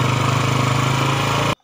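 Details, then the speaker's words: Rebuilt Yamaha Jupiter Z engine, fresh oil, idling after reassembly: steady, even single-cylinder beat with no ticking or clatter; the earlier rough knocking noise is gone and the engine runs smooth again. "Nah, motor sudah hidup. Di sini mesin pun adem ayem, tidak ada bunyi kletek lagi di bagian mesin."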